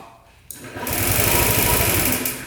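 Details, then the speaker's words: 2007 Honda Metropolitan scooter on a jumper pack, after a faulty connection/relay was sorted: quick, even whirring crank of about a second and a half; electric starter spins the engine over strongly. "you hit the start button turns over just fine. So, electric start does work."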